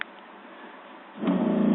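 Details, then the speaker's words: 1985 Fleetwood Pace Arrow V29 RV water pump with taps shut: quiet, then the pump briefly kicks on with a steady low hum and shuts off; short cycling shows a leak, traced to the leaking toilet. "the pump just cycled once and shut off real quick so the pump is cycling and shutting out that shows that there's water leaking somewhere"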